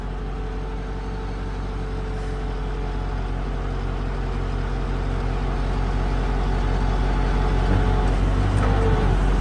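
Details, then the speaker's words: Boom truck after repair, outrigger jack lowering: steady low engine drone firming slightly as the pump works, jack lowers smoothly with no bangs or hiss; normal outrigger operation. "Hey, there we go. Now that's what it's supposed to be like."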